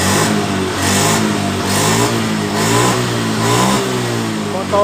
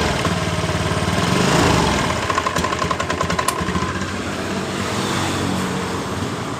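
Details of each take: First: Honda Beat ESP scooter that died when throttle opened due to low 42 psi fuel pressure, after repair: clean throttle blips, revs rise and fall smoothly without cutting out; normal after repair. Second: Honda Beat ESP scooter that starts and idles normally but dies when throttle is opened: revs surge then break into ragged popping and fade; stumbling from low fuel pressure, fuel pump/rotak blamed.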